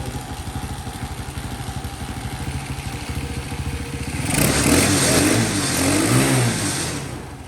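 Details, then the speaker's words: Champion small engine just fixed of a no-spark fault: putters at a slow, slightly uneven idle, then revs briefly; idle sits a touch low and needs turning up. "nice Dad sounds like the idol might need to be turned up just a little bit"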